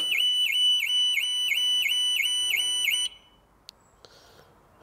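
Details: Flooded 2018 Audi RS3 when power is turned on: a high chirping alarm tone repeating about three times a second, steady for three seconds, then cut off as the alarm triggers on power-up.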